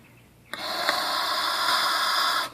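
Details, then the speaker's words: Push-type high/low pressure washer nozzle blown through by mouth to check for blockage: a clear, breathy air rush for about two seconds means it is not plugged, since a plugged nozzle would be silent. "Now this is not plugged, so you can hear it, but if it's plugged, you can't hear it. That's how to tell if it's nozzle."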